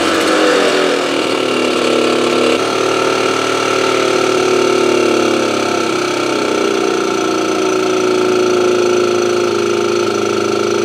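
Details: Motobécane AV89 moped two-stroke after ignition repair: now starts first kick but revs buzzy, thin and weak, engine turning too freely; low compression (decompressor cable ruled out, head tightness to check), explaining poor idle; head gasket blamed.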